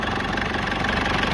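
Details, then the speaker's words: Foton Tunland Cummins 2.8 diesel, first start after injectors repaired: steady, even idle with smooth low rumble, previous knocking gone; injectors seem to have been the problem. "seems to have been the problem I'll give it a REV now and then we'll hear if it makes that knocking sound again but so far it sounds sounds good sounds really good"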